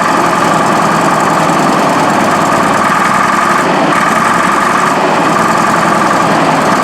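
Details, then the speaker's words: Case 1150B crawler dozer diesel just after two broken injectors were replaced, ice cold. Loud, uneven, lumpy clatter at idle, still smoky. Owners suspect the injectors need priming or bleeding and the engine needs to warm up; it later gained throttle. "Sounds terrible. That's cleaner now. I think it's got to prime up some injectors."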